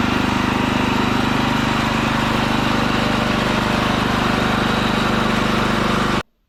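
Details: Ditch Witch C99 trencher with a Wisconsin engine, on a fresh 30-weight oil fill: a steady, even drone with a regular firing beat at constant speed and no knocks or misses. It runs smooth and healthy.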